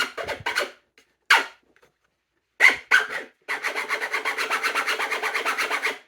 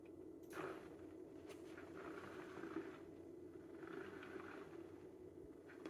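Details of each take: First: Pretty annoying, huh? It's really loud there because this top part where the bolts were in kind of warped the plastic a little bit, so it's really tight up there, and that doesn't really happen when it's just in regular use. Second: DIY sim-racing motion actuator after surfaces were sanded to reduce noise and the position sensor re-centered, running a sine-wave test: faint, smooth whirring that swells and fades about every 1.5 seconds with no knocks or grinding; operating cleanly.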